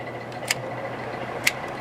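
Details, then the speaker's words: Fan on medium speed after repairing a wiring fault that had left medium just coasting; soft steady air rush over faint low hum with a couple of light clicks, running normally. "so this thing should run on medium let's find out here's medium yep it's working"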